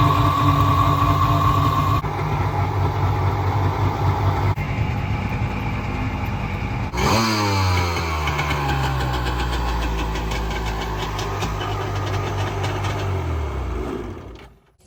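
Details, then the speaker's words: Rebuilt 2000 Kawasaki Ultra 150 jet ski, 1200 slant three-cylinder two-stroke, motor and jet pump rebuilt by marine mechanic, first start after storage: crisp idle, clean rev blip falling back evenly, then shutdown; healthy, strong-running motor. "Man, this thing sounds phenomenal, awesome, every word you could think of."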